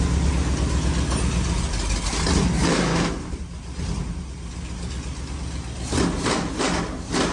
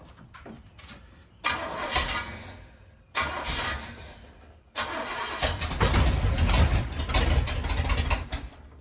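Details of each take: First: Rat-rod bus V8, second start, cooling lines and timing not yet finished: fires up and idles steadily with a deep rumble, some rough patches, running on its own. Smoking noted. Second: Rat bus after intake gasket change, timing set by ear: repeated long cranking bursts chugging about three times a second, never catching; starts only run ~3 seconds then die, no fuel delivery; owner suspects choke.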